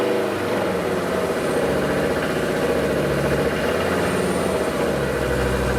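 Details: Diesel DB29 idling with a hard, rhythmic knock from each firing stroke, suspected injector knock; after about 3 minutes foam shows in the fuel and small bubbles come from the return line, so air in the fuel is suspected.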